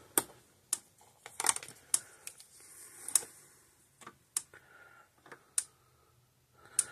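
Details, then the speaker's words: 31-year-old Speedrite SM 5800 electric fence charger, 5.8 joule rating, on a test bench under a 200-ohm load: sharp isolated snapping pulse clicks about once a second. Working normally; it will get a new capacitor. "but see is working fine for being 31 years old works great"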